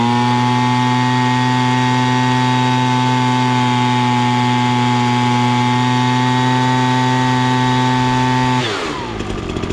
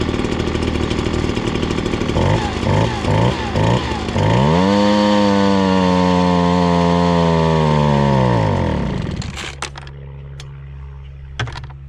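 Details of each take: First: Ryobi BP42 backpack leaf blower after carburetor adjustment screw turned about half a turn, set slightly rich past max rpm: steady, clean high-pitched buzz held at full throttle, drops away on release; normal high-rpm running. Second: Ryobi BP42 backpack leaf blower, warmed up: idles fine, revs to a high drone that sags and stalls when held at full throttle, bogs; lean high-speed mixture.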